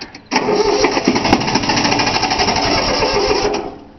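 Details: 3-cylinder Yanmar diesel cold start after glow plugs: steady even cranking for about three seconds that never fires; air trapped in fuel lines that were not bled, usually starts right up.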